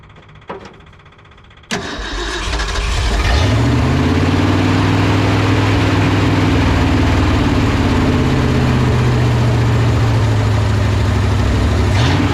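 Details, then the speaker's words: 1970 Ford F-250 pulled from a field, first start after sitting, electric fuel pump with new fuel: cranks, catches after about two seconds, then runs rough with wavering revs; owner suspects weak fuel pump and Ford 2100 carburetor needing rebuild. "oh yeah and that fuel pump's not strong enough we'll see didn't like that think we need to do a little car rebuilding on this 2100"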